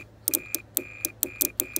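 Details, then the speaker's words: Mercedes S500 air-suspension compressor four-pin relay bench test: 12V to 86, ground to 85, crisp relay clicks each followed by a steady meter continuity beep across 30–87; relay switching properly. "what's gonna happen is we're gonna energize 86 and 85 and we should have continuity between 87"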